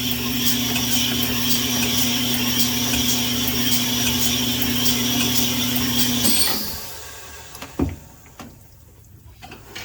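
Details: Rusty Nissan Z24 salvage block for a D21 pickup, being honed with a 220-grit stone for a re-ring: rough, gritty scraping with a quick chatter about three per second until the hone stops, as rust in the bore roughs up the stones.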